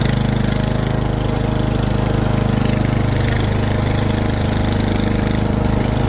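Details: Husqvarna zero-turn riding mower running: steady low engine drone with even pulse about three per second, no squeal or rattle; runs smoothly and healthy.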